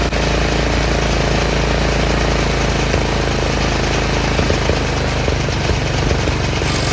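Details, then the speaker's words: Troy-Bilt 30-inch rear engine rider after carb rebuild: single-cylinder idles on its own, steady and even, no misses or surging, slightly low revs; cause was a clogged main jet, not the gas. "We got it worked out. It wasn't the gas at all. It was the main jet that was clogged."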